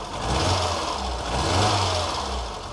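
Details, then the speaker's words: Ford Fiesta XR2i barn find off the road 14 years, just restarted on about 2 L fuel, cold and warming: uneven stumbling beat dropping out now and then; misfire, hoped to clear as it warms. "yeah it does sound all right but it is missing oh it is"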